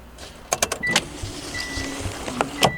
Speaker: Automatic seat belts. Yes,